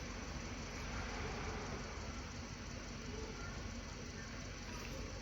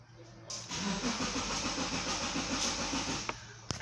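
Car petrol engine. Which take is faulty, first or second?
second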